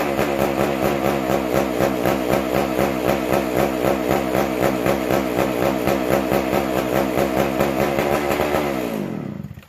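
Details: McCulloch Super Pro 125C chainsaw, first fire after cleaning and intake boot; non-adjustable fixed carb, buzzy slightly surging run at one speed that won't settle then dies, acting fuel-starved.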